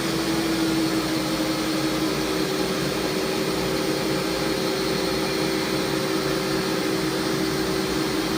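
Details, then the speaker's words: Warco WM250V three-phase variable-speed lathe at about 700 rpm, end cover refitted: steady even hum, constant light tone, no knocks or gear chatter; runs smoothly, normal running. "try some higher RPM that sounds really sweet really nice"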